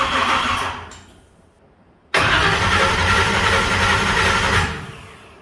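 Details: Blown big-block Chevy on a Dominator ECU, initial timing not yet set, cranked before a dyno session: steady starter churning about four beats a second in two long bursts, no catch or firing; cranks but won't start.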